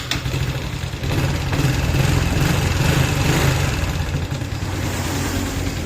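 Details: Honda Wave 110i after MAP sensor replacement for hard starting, stumbling acceleration and unstable idle: engine catches quickly and settles into a steady, even idle with light throttle blips; normal.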